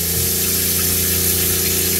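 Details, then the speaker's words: New water pump on a 1980s 36ft Springer narrowboat, with the sink tap running before the Cointra CPA11 LPG boiler fires. An even, steady motor hum with a fast regular pulse. Normal pump running. "that should have re-primed the pump if i now go and turn the tap on we'll check some water comes out"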